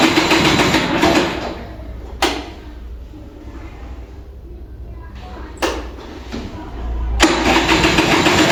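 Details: Vintage Kinetic Honda 2-stroke scooter, cold start early morning: repeated electric-starter cranking bursts with pauses, no firing, weak ignition, battery draining, light throttle twists; prolonged cranking, no start.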